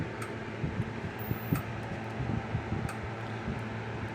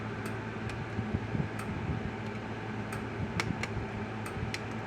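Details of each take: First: Kencove KF6000 EK6 electric fence energizer plugged in: low steady hum and faint capacitor sizzle, lights flashing but no regular pulse clicks; charge builds but never discharges. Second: Kencove KF6000 (older version of the EK6) fence charger after a control-board swap, with the meter now reading correctly: crisp single ticks about once a second over a low hum. Normal fence charger pulsing.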